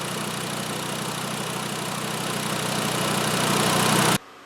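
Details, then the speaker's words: 2012 VW Jetta 2.5L five-cylinder after all five worn, wide-gapped spark plugs were replaced: a steady, even idle with no skips before shutoff; the misfire is cured. "Oh, there we go, much better. Much better. So that was it. It was just due for a set of plugs."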